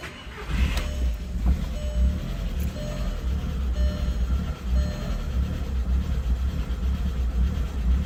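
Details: 2003 VW Jetta 1.8T AWP after head gasket, timing belt, water pump, gaskets, plugs and PCV replaced, 5W-40 synthetic oil: uneven, lumpy low idle rumble with irregular swells; rough idle, cause unclear.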